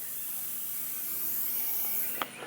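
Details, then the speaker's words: 2020 Toyota GR Supra (MK5) at 400 miles, TPMS showing 10 psi low, wheel off: steady high-pitched hiss of air escaping that cuts off sharply, with a 2-inch decking screw being backed out of the tread; puncture leak. "You can probably hear that. So we got a 2-inch decking nail, or decking screw."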